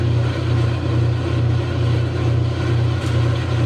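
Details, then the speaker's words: Kenmore 90 Series top-load agitator washer that would not spin: a steady low hum with a smooth swell about twice a second. Drum now spins normally after cycling the control knob; cause unknown. "don't ask me why i have no idea i played around with the knob going through the different cycles and all of a sudden it started working"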